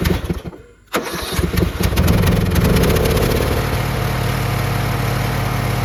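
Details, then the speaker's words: Lawn mower after fitting a new replacement carburetor with anti-diesel solenoid, rigged choke and fresh fuel; catches after a short crank and settles into a smooth, even low putter with no misses; normal running. "We'll see how long it lasts, but the mower is running fine."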